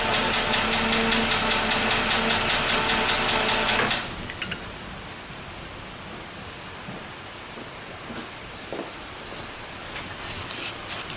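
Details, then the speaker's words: 2006 Dodge Magnum SE 2.7L V6 at idle: sharp even ticking about two to three per second from behind the throttle body, from a failed hydraulic lash adjuster. "this is the hydraulic valve adjuster you might call it a lifter but it doesn't really live basically it sits in the block spring-loaded fills with oil for pressure and the cam-follower sits on this side so this just keeps it tight that's it it's bad"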